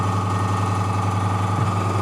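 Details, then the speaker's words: Fengda FD-186 oil-free airbrush compressor running: steady even drone with constant low hum, no knocks, rattles or surging, measured around 60 dB; normal running but fairly loud. "And real quick, let's measure the decibb maybe. Uh, what was the app name? So, it's around 60 dB."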